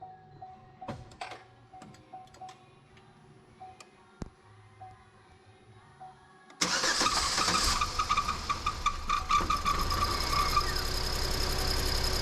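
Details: Chevy Equinox after both head gaskets were replaced and coolant refilled, with the mic clipped on top of the hood: quiet fuel pump priming, then it catches quickly into a steady, even idle with no misses or knocks.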